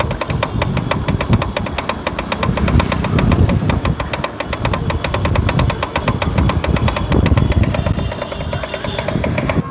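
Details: Motorcycle with a rapid, regular clatter running over the engine throughout, from the rear wheel. Cause is a loose rear wheel bearing bore; the fix is tightening the bore with Fevikwik and refitting the bearing with grease.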